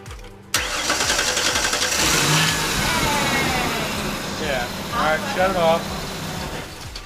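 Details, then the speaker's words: Ford Explorer after tightening loose, corroded starter bolts instead of replacing starter: short even crank whir, engine catches cleanly and settles into steady idle; starter now cranks normally, fixed. "all right batteries all put back on now the car is not put back together but we're going to start and see what it sounds like"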